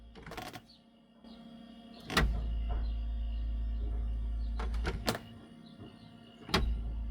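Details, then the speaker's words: Dometic motorhome fridge (CR1085) with the compressor running at the minimum thermostat setting: low hum with faint clicks that shifts and grows heavier when the closed door is pushed, suggesting a leaking door seal, unconfirmed. "So notice the change in noise."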